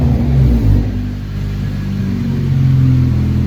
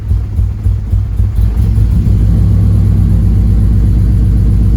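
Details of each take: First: 9th-gen Honda Civic Si engine that previously had a rumble, now revved; clean even note rising and falling freely, no rumble or misfire, sounds like a normal Honda: smooth running, coil swap later discussed. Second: 9th-gen Honda Civic Si after injectors and connectors found good, spark suspected; loud steady low rumble with faintly lumpy uneven beat: running rough.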